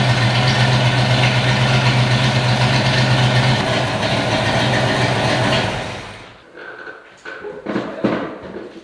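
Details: 1993 Fox body V8, not run in years, with vacuum caps fitted and the spark plug wire reconnected: holds a steady, even idle for several seconds, then shuts down. Normal idle on all cylinders.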